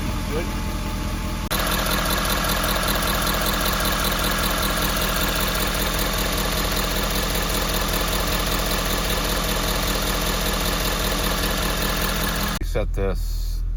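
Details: 2015 Ford F-250 Powerstroke diesel just after changing both fuel filters and oil, started after priming cycle, no filter leaks: steady even diesel clatter at idle with smooth unchanging beat and no misses; fuel system running clean.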